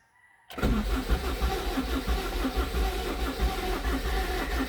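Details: Honda CR-V: starter spins the engine steadily for several seconds with an even churning beat but it never fires or picks up speed; crank no start.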